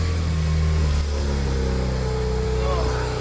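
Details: 2007 BMW E92 335i (N54) after belt tensioner replacement and cooling system bleed: steady, even run with a smooth low hum and no rattle or squeal from the belt; normal idle.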